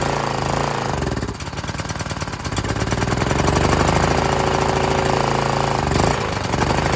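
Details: Briggs 3.5 HP L-head engine off a Scag edger, after replacing the dried carburetor diaphragm, cold at about 40 degrees, air filter off: rapid, steady single-cylinder popping at fast idle, even firing with no misses or knocks, running fine.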